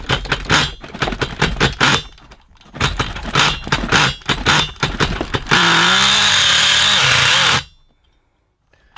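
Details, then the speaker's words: XTM Monster MT nitro truck, rebuilt with old parts, needle turned out to nearly flush with throttle body: clunks, then a two-second throttle blip rising and sagging unevenly with a blubbery note; sounds too rich, needle may need turning in (suspected). "Sounds a bit too rich there. Might need to turn that in a little bit."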